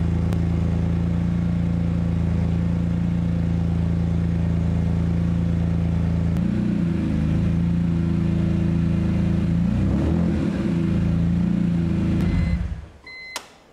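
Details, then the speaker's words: BMW E46 M3 convertible sat over two years, started on old fuel after fixing loose fuel hose clamps: steady even low idle with no misses or knocks for about twelve seconds, then shuts off cleanly. "it runs even on that old gas wow honestly i'm speechless"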